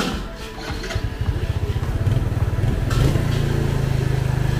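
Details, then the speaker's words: Yamaha Jupiter FI (2020) restarted after engine rebuild following seizure from running out of oil: catches and settles into quick even putter, idling slightly fast as throttle set a bit high, no knocking; normal idle. "rồi các bạn ạ hiện tại bây giờ là im rồi đấy mình chưa chỉ ra ghi lại bây giờ hiện tại là gang tay hơi to rồi"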